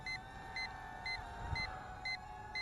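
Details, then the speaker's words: Hubsan H122D Storm racing quad on a 7.6 V lipo: six sharp high beeps, about two per second, over a quiet background, the voltage indicator warning of low battery. "you can hear the quiet stuff also beeps on low battery"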